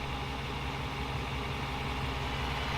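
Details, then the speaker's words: Mercedes M119 V8, first start after a year-long engine swap, running with just the cats on: even, steady idle with a smooth low burble, oil pressure up, no ticking, knocking or abnormal noises; healthy idle. "got oil pressure sounds great no ticky no"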